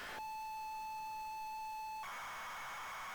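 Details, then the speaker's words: ZX Spectrum cassette of Hot Shots loading: a pure high steady tone for about two seconds, then a hissy data screech, from an unusual custom loader. "that's so weird what a load weird loader this is very weird"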